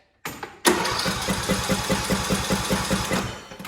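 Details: Craftsman T1700 lawn tractor, Briggs & Stratton engine, fuel now at the carburetor, tried on choke then fast: starter cranks at about 2.5 turns per second with no firing. Cranks but won't start because the fuel shutoff solenoid has failed.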